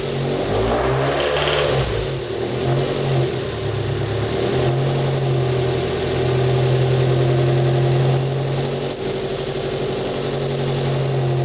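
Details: Mitsubishi Evo 4G63 four-cylinder petrol engine idles quietly at first, then a light regular tick of about four a second and knock returns; lifters already replaced without change; cause unknown.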